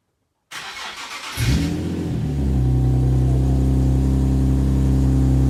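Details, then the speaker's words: Nissan 370Z, cold start just after fitting the NISMO exhaust and 1320 performance test pipes; starter whirrs, engine catches, revs once, then settles into a deep, smooth idle with no rattles; same sound, a little louder; normal. "That sounds absolutely incredible. It's like the same sound, but A little louder. I'm stoked."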